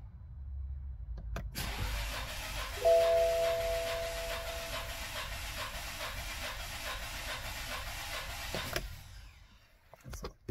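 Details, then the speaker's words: 2017 BMW 216i Active Tourer, B38 three-cylinder turbo, over 270,000 km, compression test at full throttle during timing chain repair for limp mode and stumbling: even, steady cranking with regular pulse; cylinder reads about 15.5 bar, others 15 bar, healthy. "sieht sehr gut aus zwischen 15 und 16 bar also 15,5"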